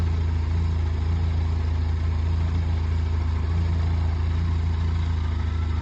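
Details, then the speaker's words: Benelli motorcycle with rough idle from a faulty idle motor, after idle motor replacement: even steady low thrum without hunting or stumbling, idle stable until shut off. "After replacing the idle motor, the idle speed display is very stable."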